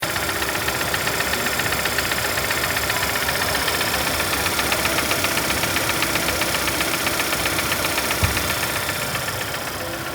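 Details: 2025 GAC GN8 at idle: sharp, even ticking knock about four times a second over the engine note; abnormal engine noise, engine being disassembled; source not yet pinned down; engine knocking noise.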